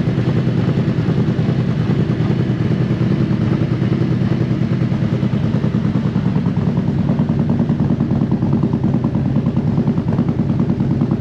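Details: Used 2018 Harley-Davidson CVO Road Glide inspected before purchase: steady lumpy V-twin idle around 1000 rpm with even loping beat, no ticks or knocks; motor sounds healthy.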